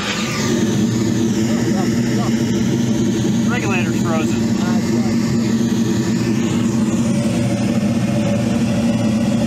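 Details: Commercial kitchen gas furnace in about 5°F weather: a steady, even burner and blower roar with no surging or cutting out; the unit is firing normally.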